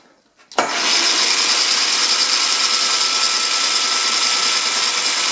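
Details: Ariston spindle running after scraping in the front spindle bearing: steady, even whirr with a thin constant tone, no rattle or knock; much quieter than before, the previous clatter is gone, still to be run in.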